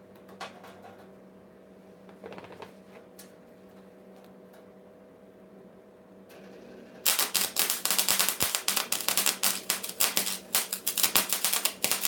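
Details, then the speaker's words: 130-amp gas/no-gas MIG welder on flux core, first use, on steel: uneven popping crackle with irregular bursts instead of a smooth sizzle; tip too far from the metal and moving too fast. "you are moving a little too fast right too far from the metal too fast right"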